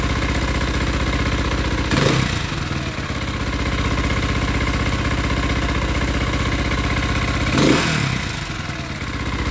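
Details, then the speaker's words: Single-cylinder engine on choke: steady idle with a faint rough rumble under the firing beat and two brief swells. Possible bearing noise with the clutch engaged that goes away when the clutch is pulled in. "Almost like the when I let the clutch choke, I hear that bearing. Pull the clutch in, it goes away."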